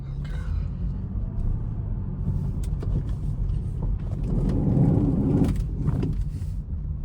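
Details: 2015 BMW 435i Gran Coupe F36, 55k miles, kept near the ocean, steering briefly stiff after sitting: stationary car's low rumble with a rough gritty grinding swelling as the wheel turns at a stop or slow speed.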